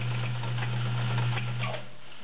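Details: Vintage heavy-duty Kenmore model 1207 sewing machine sewing a straight stitch. Short burst of smooth, even needle clatter with a steady low hum, no knocks or binding: sews cleanly.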